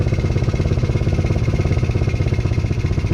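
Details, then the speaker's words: 125cc Chinese kids ATV after carb clean and new spark plug, idle just adjusted down, air filter off: quick even single-cylinder putter at raised idle, smoother with more RPM, no misses; normal running. "it was before a lot smoother getting way more RPM out of it"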